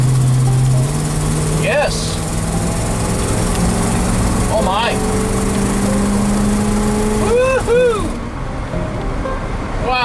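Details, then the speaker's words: Ford 360 FE V8, Motorcraft 2100 2bbl carburetor retuned to a steady strong vacuum reading, Autolite 45 plugs regapped to 44, 91 octane, exhaust flange donut replaced; smooth strong acceleration on expressway, no smoke, sputtering, stalling or misfires. "It runs a lot better now. No smoke. Acceleration was great. No sputtering, no stalling, no misfires."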